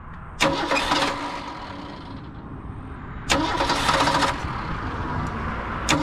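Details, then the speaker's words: 1978 Mercury Zephyr Z7 Ford-powered coupe after choke and idle adjustment: repeated bursts of cranking with brief catching about every three seconds, engine not settling; hard to start needing long cranking, owner suspects fuel draining from the bowl. "but it's hard to start and I got to crank it quite a bit to start"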